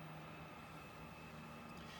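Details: Chinese clone of an Eberspächer diesel heater at start of its burn cycle with the glow plug on: soft, steady blower whir with faint constant hum and no scraping; the fan runs normally.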